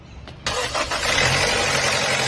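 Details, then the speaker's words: 2008 Mazda 6 2.3 automatic at start-up: fast idle with a harsh metallic internal rattle, present since the head gasket was replaced; scan showed code P0016; timing chain possible but unconfirmed. "presentando como problema un ruido interno en el motor. El amigo propietario del vehículo nos comenta que ese ruido le quedó a partir de que le cambiaron la empacadura de la culata del motor."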